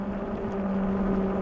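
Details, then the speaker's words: Globalkeep MA-S electric motorcycle (4000 W peak motor) at road speed on pavement: a steady low droning hum at an even pitch with no motor whine over it; the aggressive knobby fat tires hum noticeably. "They hum going down the road. You notice them."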